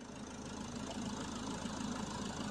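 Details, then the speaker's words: Citroen Jumper 3.0L Iveco diesel idling during an AC refrigerant recharge at about 40 psi, vents cooling to 15°C: a steady, even idle with no knocks or misses and the high-speed cooling fan rushing. Normal operation under AC load. "I could also hear the high-speed fan kicking in. So this means that the gas is getting hot and it needs cooling."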